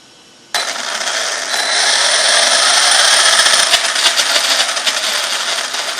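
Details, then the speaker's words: Arrma Talion 6S RC truck on a bench test after fixing a developing noise: electric motor spins up to a smooth, high, even whir holding steady without clicking; sounds much better, normal drivetrain. "it sounds better Oh much better yeah that's gonna be ridiculous guys"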